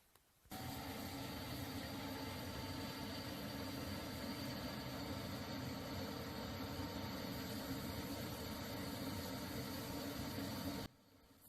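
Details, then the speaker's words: Viessmann Vitodens 100 condensing boiler, which had been making noise from a circulation pump with a part come loose and vibrating: after repair the pump runs with a steady, quiet rushing hum and faint tone, with no knocking or rattle. "yendo ahora ya no suena casi nada"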